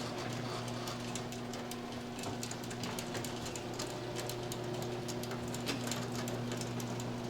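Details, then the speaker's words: Garage door after fitting new quiet rollers: opener motor hums steadily while the door travels with only light, scattered ticks from the tracks; rollers run quiet. "Now, this thing picks up the uh the sound of the motor a lot, but listen to the tracks and the difference."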